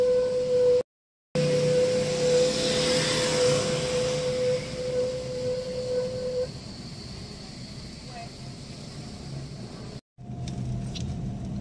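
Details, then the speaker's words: Car first driven after sitting parked about three days or more: steady mid-pitched squeal over rolling noise, caused by dirty, dusty rear drum brake shoes. "tiba-tiba disaat kita jalan mobilnya itu bunyi seperti tadi ya itu bisa disebabkan dari kanvas rem belakang yang kotor"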